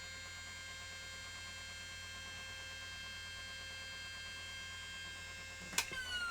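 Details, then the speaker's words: Panasonic AG-4700 (NV-HS1000-type) S-VHS recorder with its original front panel refitted: quiet steady whine, then a click and a falling siren-like tone during boot; display works but shows E9 error, which it recovers from within seconds. "that sounds like an air raid siren right so the display is working but we're getting our E9 error"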